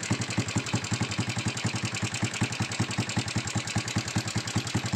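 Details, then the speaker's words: Honda Supra X125 at idle before repair, owner complaint of loud ticking: fast, loose ticking clatter on every beat of an uneven idle; mechanic suspects a loose cam chain tensioner, which vibrates and may be internally damaged. "oke ya suaranya seperti ini ya ini sepertinya suaranya dari sentrik kendor"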